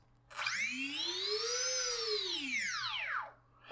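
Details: Brushless motor on an INAV wing, run just after ESC calibration: a clean whine climbs smoothly in pitch, holds, then falls away as throttle eases, with no roughness or stutter; motor running normally.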